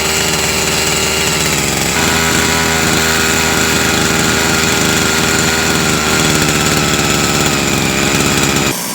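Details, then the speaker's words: Husqvarna 353 chainsaw after carburetor, spark plug, fuel line and filter replacement: fast, loud buzzy idle set too high, so centrifugal clutch grabs and chain creeps when chain brake released; fix by turning idle screw down slightly. "basically if your rpm is too high as soon as you take your brake off your chains gonna start to roll and that's what you guys saw"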